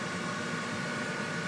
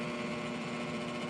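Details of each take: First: Trane 7.5-ton rooftop unit after replacing the seized inducer assembly; blower comes on after time delay, then the inducer spins up to a smooth, even hum with no rattle or scrape, followed by spark ignition. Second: Trane 7.5-ton rooftop unit, rollout switch found tripped; with 238 volts applied the new inducer motor is seized, giving a steady electrical hum with no fan spin-up; inducer assembly later replaced.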